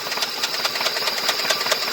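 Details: 2005 Ford F-150 with 334,000 miles: sharp ticking knock about four to five times a second, evenly timed over the engine hum; worn motor with a bad knock.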